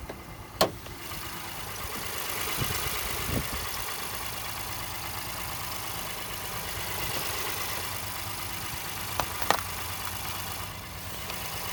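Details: 2018 Honda Ridgeline Sport, about 30,000 km, parked idling after cold start: intermittent high-pitched chirps/squeaks from passenger side of engine, not in step with rpm; goes away once warmed up.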